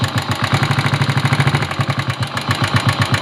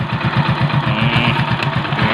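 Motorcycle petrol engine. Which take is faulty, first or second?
first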